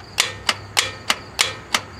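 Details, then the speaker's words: 1997 Toyota Corolla no-start, starter relay jumpered from the driver-side kick panel: six sharp metallic clicks about three a second with no cranking; worn starter solenoid plunger and contacts; bypassed with a battery-to-starter jumper wire. "she just clicks what I'm going to do is I'm going to take another jumper wire from the battery and down to the starter and that will allow this thing to turn over like I said the plunger and the contacts they're no good"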